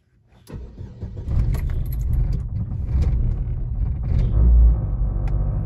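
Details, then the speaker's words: Chevrolet Aveo 2009, Daewoo F16 engine, fully cold start after plugs cleaned and gapped, engine temperature sensor replaced and rpm sensor cleaned: keys jingle, short crank, catches first try into steady cold idle; healthy start, previously failed. "el vehículo arrancó en el primer trazo cosa que eso no lo estaba haciendo"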